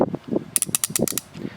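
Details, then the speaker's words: Ratchet worked by hand: quick irregular clicks with sharp clunks; pawl feels skippy like a different gear set, judged inferior to other ratchets. "you like hear the clunk in there it's just like it's a total different gear set and it's kind of Skippy and I do not like it"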